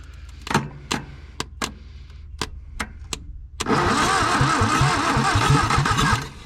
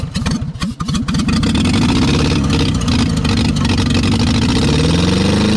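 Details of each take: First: 1962 Hillman Minx abandoned 40 years, intake removed, fed with carb cleaner and gasoline: several slow uneven cranks, then it catches and runs lumpy before dying; fires readily on carb cleaner but runs badly on gasoline. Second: 1962 Hillman Minx, parked 40 years, warm after revving: catches after a few cranking chuffs then runs steadily with firm low throb; running normally but needs carburetor work, oil not yet reaching top end.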